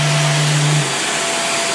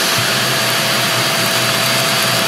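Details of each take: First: Greenote corded AC stick vacuum (18 kPa, HEPA, bagless): steady motor hum with a clear whistling harmonic tone when lifted off the floor, which drops away partway through; otherwise runs quietly. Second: Greenote corded AC stick vacuum (18 kPa, HEPA, bagless): steady high whine with even airy rush, no rattles or surging, then smooth spin-down at switch-off; runs very smooth and quiet, healthy.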